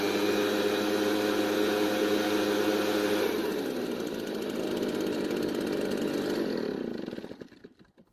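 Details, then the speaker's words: Garage-sale Redmax backpack leaf blower two-stroke, run without its dirty air filter to test it: steady even buzz, then tone shifts and fades as it winds down; runs okay with or without the filter, filter still needs replacing. "so it seems to be running okay with or without the air filter"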